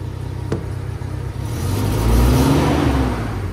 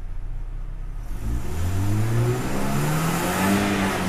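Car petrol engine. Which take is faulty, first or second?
first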